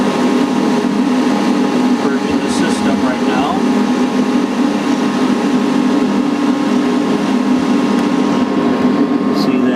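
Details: Heil/ICP N9MDP furnace after replacing the bad inducer motor that had buzzed and stopped the furnace firing: steady even motor hum with smooth airflow rush and no rattle or scrape; inducer running normally, igniter then firing.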